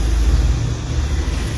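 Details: 2015 engine after misfire troubleshooting with check engine light and worn spark plug electrode gap: deep, even rumble with steady beat, no stumble or shake; engine now runs normally.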